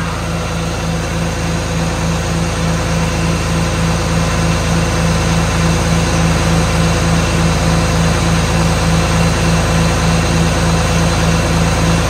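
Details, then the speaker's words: 1977 John Deere 4430 diesel tractor restarted after standing nine years: steady low chug of about three beats a second, no knocking or stumbling; engine sounds good, the tractor's problem is an axle issue. "and it did sound really good but um let's face it it wasn't an engine issue anyway it was it's an axle issue"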